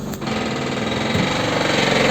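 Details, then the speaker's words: Daewoo Sens (Slavuta) gearbox: fine at idle with clutch pressed, fast hard rattling knock once clutch released, quiet again when pressed; drained oil from new gearbox held pieces of broken gear teeth. "решили слить масло новой с новой коробки что выяснилось в итоге я просто начал сливать кусочки шестеренок"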